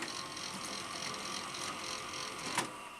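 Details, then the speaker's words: Sanyo VTC-NX30 Betacord (Betamax) VCR after repairing the eject fault: even, light whirring of the tape transport during playback with one small click near the end; the deck plays smoothly and healthy. "sounds good although i haven't got it hooked up to a monitor at the moment so difficult to tell"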